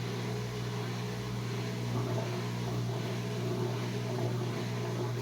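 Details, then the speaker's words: Whirlpool Duet washer with long-drain and door-locked errors, new drain pump after the original failed at about 4 years: smooth, steady low hum with no rattle or grind. Far quieter than the old pump, which was audible from another room. "Okay, here's the new pump, what it sounds like after I've replaced it. If you remember how loud it was, this is way quieter."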